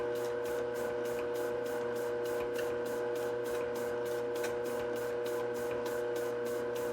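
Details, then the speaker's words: Globe SP08 spiral mixer, one month old, working a 3.5 lb batch of stiff 53% hydration dough (rated for 4 lb at 50%): steady motor hum with a sharp creak about four times a second, in time with the mixing head. Creaks under heavy load. "So we'll just let it run here for a minute, and you can hear some of the creaking that I'm talking about."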